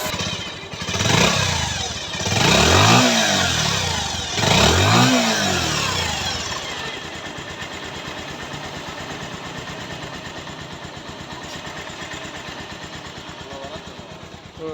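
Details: Bajaj Pulsar UG5 after repair for a sound problem, tappet clearance adjusted: a few clean throttle blips settle into a steady, even idle with no tapping or rattle; the engine sounds healthy.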